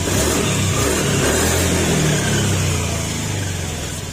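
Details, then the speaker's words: Honda Beat FI scooter after an engine overhaul, revving: clean, even rev with a faint gearing whir. Some slight noise is attributed to the crankcase cover bearing. It no longer sounds like a big bike, so revving is normal. "Yan, hindi na siya tunog big bike mga sir, tahimik na. Yung sumasabay sa pag-ikot, yan yung sa gearing at may kunting grag dahil yung crankcase cover dito, yung bearing."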